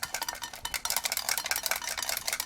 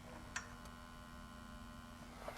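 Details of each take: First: Extron VTG 300R video and audio test generator on arrival, before power-up: handling the case brings irregular clicks and tinkling rattles, a loose internal component; a part had popped off the board. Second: Extron VTG 300R test generator while charging from its branded 24 W power brick, drawing about 15 W: a faint, steady, constant-pitch low buzz, which the user manual says is a normal charging buzz.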